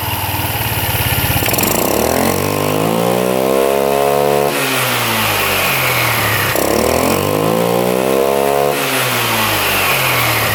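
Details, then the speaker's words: Free non-running scooter after refitting a loose clamp, bolt and nut, noise gone: smooth, even idle rising cleanly through two quick revs and settling, no knock or rattle; normal idle and revving. "Let's see if we can fire it back up now. See if it still makes that noise. There we go. Alright, well that was the problem."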